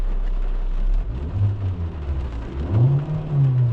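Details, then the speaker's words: 2019 Hyundai Elantra 2.0 accelerating smoothly, with no stutter or misfire, after clearing misfire code P30400. Coil no. 3 was replaced after it was moved from no. 4, and the spark plugs were replaced. Normal acceleration after repair. "طيب ندعس ما شاء الله شوف الدعسه واضحه"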